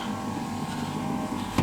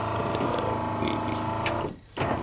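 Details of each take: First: 1988 VW Westfalia van power window: an even electric whir with no straining or clicking as the glass moves, ending in a soft stop, so this window motor works fine. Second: 1988 VW Westfalia van, the other power window: the motor whirs at a low, dragging pitch and labours through its travel, slow on the way back; the cause is not yet found, and the owner plans to swap in parts from another unit.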